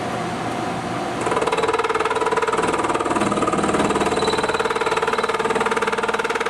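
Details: Skil benchtop import drill press with plastic pulleys, boring cast iron: as speed comes up, a loud pulsing chatter about three beats a second rides over a steady tone; owner suspects another bearing problem in the lower bearing.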